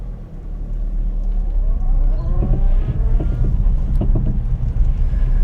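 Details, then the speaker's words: Car started and put into reverse: engine running with a few irregular dull knocks from underneath, none going forward; something loose, owner hopes not the wheel, source not identified; clunk underneath when reversing. "did you hear that? Forward. Nothing. Backwards. Something's loose."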